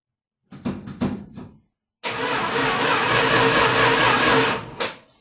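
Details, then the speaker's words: 1978 Dodge Power Wagon starting right after an oil change: a few slow, uneven cranking bursts, then a short steady roar that dies away; starter turns sluggishly, owner suspects a dying battery and needs a jump box. "Well, it sounds Like my battery is dying. So have to put the jump box on it and try again."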